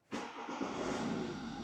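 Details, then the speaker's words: BMW diesel restarted after a valve cover gasket job with the injectors removed and the fuel system primed with Protool: it catches almost at once and settles into a steady, even run with no long cranking or stumbling; it logs a rail-pressure-on-start fault code. "Well, this one went a lot quicker. So the vehicle's running."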